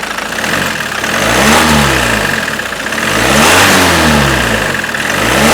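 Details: Ford Mondeo Mk5 2.0 diesel that cut out and wouldn't restart, after high-pressure fuel pump with broken shaft replaced and system primed: revs rise and fall smoothly, clean steady diesel clatter, no misfire; running normally after repair.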